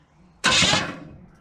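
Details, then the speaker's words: Big-block Chevy V8 in a truck, not run in years, spark plugs removed: starter jumped with 12 volts to the solenoid, brief whirring rush as the starter engages and spins the engine. "we go like I said all we're doing is we're giving it 12 volts and what that does it closes contact in the solenoid and then sins and the starter engages"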